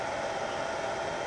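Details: Reliable power backup inverter, a couple of years old, battery connected and status light green, heard from the rear: steady even airy cooling-fan whoosh with no ticking, rubbing or wobble; fan running normally.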